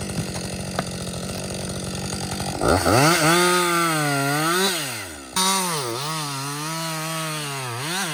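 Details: Husqvarna 562XP 60cc chainsaw, back from the shop after a software reflash for dying when hot, not starting and stumbling, bucking dead windfall about two-thirds into a tank: smooth steady idle, then crisp clean revs rising and falling as the chain bites; running well.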